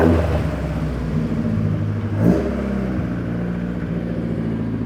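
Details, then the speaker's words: Fiat 131 Mirafiori Abarth with newly fitted twin Weber carbs, revived after years asleep, during carb balancing and idle-screw adjustment: steady idle, one clean quick blip settling back evenly; carbs well balanced, healthy rev response. "it's trying to find a sweet spot where they're both happy sounds nice"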